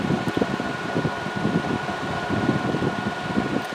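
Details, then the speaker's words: Brand-new Endless Breeze fan on medium: steady hum with a low throbbing harmonic vibration underneath from blade imbalance. Low and high speeds run stable, and the owner is adjusting the counterweight to cure it. "it's got kind of a harmonic vibration in medium"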